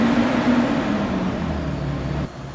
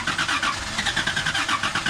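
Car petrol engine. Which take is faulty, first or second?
second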